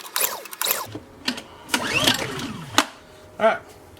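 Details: Honda EU2000i generator of unknown hours, fuel on, choke on, spark confirmed, no breakers popped: a few sharp recoil pulls whir it over but it never fires. No-start.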